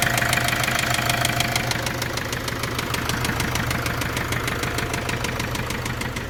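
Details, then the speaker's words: Opel Vivaro / Renault Trafic 2.0 diesel at idle with a little throttle: steady rapid knock, roughly three per second, over the idle, staying even; long cranking to start noted, cause unknown, owner asks what it could be. "вопрос такой как вы слышали звук в моторе"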